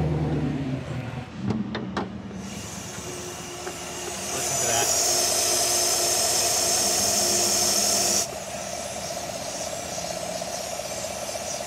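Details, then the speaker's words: 2020 Silverado Trail Boss just after installing a JLT 3.0 oil catch can: engine idling, then a steady high-pitched hiss for about four seconds that cuts off sharply; owner suspects a vacuum leak at the fitting, not the hose. "i think we have a huge vacuum leak gonna swap that back get back on the road see if it does anything"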